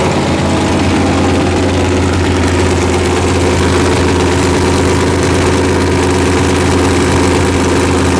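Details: V8 with forged pistons, idling during run-in near 155°F: loud lumpy idle with a steady low knock under the exhaust pulses; suspected out-of-round crank journal and loose rod bearings 3 and 4 found with the pan off.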